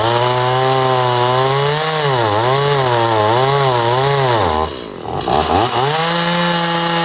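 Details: Stihl MS180C chainsaw after fitting a replacement carburetor and adjusting the idle screw: strong, steady high-pitched run with crisp revs, a brief drag while cutting, then clean recovery; running properly.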